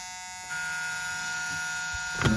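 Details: 1983 Chevette diesel that won't start after a head gasket and new injection pump, unused for six months: steady electric buzz with the key on, engine not running; a key-on warning buzzer, cause unconfirmed.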